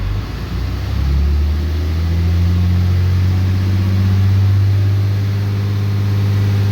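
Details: 2013 Ram 3500 6.7L Cummins after fan clutch repair (previously locked up all the time, owner complained of low power): revving to 2,000 rpm, engine hum climbs smoothly with no roaring fan rush; fan clutch now releasing properly, no more jet-like roar.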